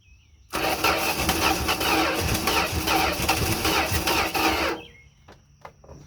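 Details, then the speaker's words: 1971 Dodge D100 abandoned 34 years, cranking on gasoline poured into carburettor: uneven cranking with ragged firing bursts for about four seconds then dies; catches briefly; owner suspects accelerator pump not working. "Tyler you sound like she's trying to fire give it a little bit more [Music] oh she gonna run I do believe I don't think accelerator pump works"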